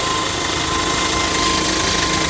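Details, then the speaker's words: JAC J6 after clutch replacement (suspected disintegrated pressure plate and release bearing, screaming and not engaging gears), engine bay check at idle with clutch pedal pressed: steady even idle, no clutch squeal or grinding; clutch now fine. "Foi testado, o carro ficou aí 100%. Vamos dar uma olhadinha no cofre do motor lá, se ainda continua aquele barulho, aquele pedido de socorro por manutenção."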